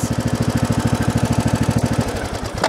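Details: Briggs & Stratton Intek 17.5 HP lawn tractor engine after carburetor cleaning: steady, even pulsing around fifteen beats a second with no stumbles or hunting; clean normal idle, runs better.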